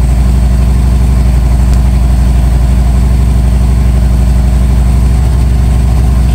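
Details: 1997 Harley-Davidson Road King Evo, first start after top-end and cam chest rebuild: deep, steady potato-potato beat about four pulses a second, faint pressure-washer hiss behind; normal idle.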